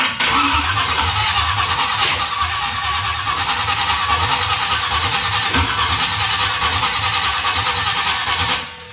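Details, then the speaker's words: Freshly rebuilt small-block Chevy for a 1970 GMC C10-to-K20 conversion, first start attempt on an old tractor battery: uneven cranking about three beats a second with pops and flame out of it, never catches; timing suspected a tooth off. "Watch your feet, alright. Sorry. There's a lot of flame that comes out of that, that's for sure."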